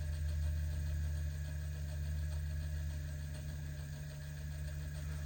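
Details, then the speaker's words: RC crawler with cheap plastic Amazon gearbox with metal motor plate, running on the stand at throttle setting 20, louder when set down; steady low gear hum with faint rapid scuffing, owner suspects a drive shaft rubbing; drivetrain rubbing noise. "Something like, I don't know, maybe a drive shaft is rubbing on Susan. But it gets way louder now when I set it down."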